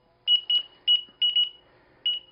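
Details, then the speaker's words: KS16x electric unicycle just after firmware update from 1.01 to 1.05 and reconnecting: high beeps in a double, double, single pattern; owner assumes it wants a horizontal calibration. "we are reconnected and it's beeping at us I assume because it needs to horizontal calibration"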